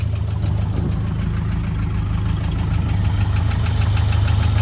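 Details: 1971 International 1210 pickup sat 30 years, started with fresh fuel and no coolant: sharp regular clacking about four per second over a deep steady idle; abnormal mechanical knock from the engine, cause unknown, shut off.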